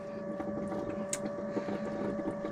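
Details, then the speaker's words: Motorhome fresh-water pump, system unused for years, after clearing the airlock; steady high hum with fast light pulsing as water flows through, pump fine, fault was the airlock. "it must have been an air lock in it then after all that. I'm glad it was that."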